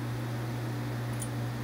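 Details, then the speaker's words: Dayton 1LPN8 AC gear motor, oscillator for an outdoor greens fan, plugged in after regreasing gears with marine grease: smooth steady low hum, no clicking, grinding or stalling, rotating again, repair fixed it; normal running. "i'm going to plug this in real fast and see if we can get this thing to rotate i hear it and yep there it goes"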